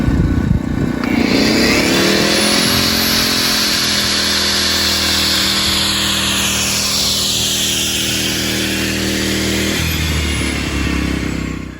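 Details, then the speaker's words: A-iPower SUA2300i 1800 W gas inverter generator, started in low idle (eco) mode on a job site; when a grinder is switched on the engine climbs quickly to a steady higher drone under load, then eases back: normal engine speed-up under load. "When I start the grinder, you'll hear the engine kick up in RPMs so that we're not using more power than we need."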